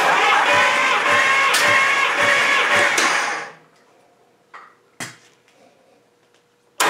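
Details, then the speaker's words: 1953 Hemi V8 cranking about three seconds with a lazy, slightly uneven beat during a compression test; this cylinder had a stuck valve. Compression weak and inconsistent, 60 to 120 across cylinders, rings suspected stuck. "Well, they've all got some compression, and it's not very good and it's not very consistent."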